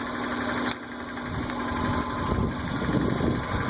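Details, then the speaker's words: Idling engine with the dipstick pulled: irregular bubbling, boiling-water sound from the open dipstick tube, as if something is moving inside; a knock is also present, later traced to the flex plate. "there's another weird noise coming out of the uh dipstick uh when I pulled it out to check today it sounds like a uh water boiling or something like that"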